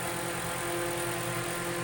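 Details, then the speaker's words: Vintage 10-inch Eskimo oscillating fan, probably 1940s, before rewiring and tune-up: steady motor hum with buzzy, chattering rattle over the whir; loose oscillation mechanism, owner tightens it. "That's not good. Well, I'm gonna have to tighten this a little bit more."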